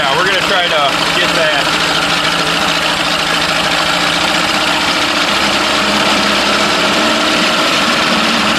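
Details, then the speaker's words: Mercury Classic 50 outboard, free unit, hot-wired with starter switch, possibly in gear: keeps idling steadily with busy uneven rattle, no stumble, despite ignition off; run-on cause unconfirmed. "Sounds like we're welded. I'm not sure how it's running anymore. I have the ignition turned off. Yeah, I figured that would have killed it."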